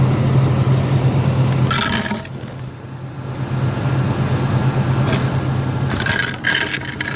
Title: 2002 escalade awd popping sound